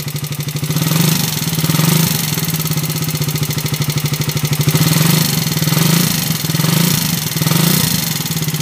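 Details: Raider 150 small motorcycle engine revving with a loud, busy metallic clatter riding on the exhaust beat; engine noise later quieted without replacing parts: noisy valve train (worn camshaft and tappets).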